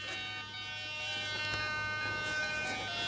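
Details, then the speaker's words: Vario in a finished RC Letov LF-107 Lunak aerobatic glider on 3S 2200 pack (11.46 V), model lifted about 1.2 m: steady electronic beeping holding a clean pitch, no dropouts; vario working normally. "Don't know if you heard that, but that's the Vario working, which will be really useful."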